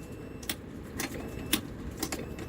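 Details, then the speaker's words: CF Moto with no power to the starter: sharp, even clicks about twice a second over a faint hum as the fuel pump primes normally each time, after a bad relay was found. "And as you can hear, fuel pump is kicking every time."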